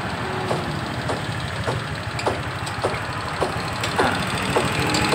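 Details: Honda Vario 125 scooter engine idling with a sharp, regular tick under two per second from the top end; customer complaint of a noisy engine, cause not yet identified.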